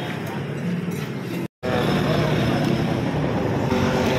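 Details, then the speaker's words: Yamaha Mio 125 scooter after connecting rod replacement for noisy engine: smooth, even hum with no knock or rattle; harsh noise from cracked connecting rod gone, engine still consumes oil. "wala na yung ano nawala yung ibang gaspang na tunog dahil doon lamat na ano connecting rod"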